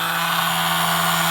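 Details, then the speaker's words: Suzuki Quad Runner 250 under restoration, starter motor cranking via flaky start button needing firm press: steady even electric whir, one constant hum, no grinding or clicking; starter spinning normally, though double clicking noted. "there's my uh starter motor on now the start button was flaky I need to press it firmly"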